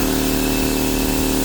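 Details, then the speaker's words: Fortress 200 psi 27-gallon air compressor that wouldn't start; pressure switch tapped to restore contact. It now runs with a steady, even motor drone and smooth pump pulsing, no stalling or buzzing. Working normally. "Here we go. This is what happened. Working now."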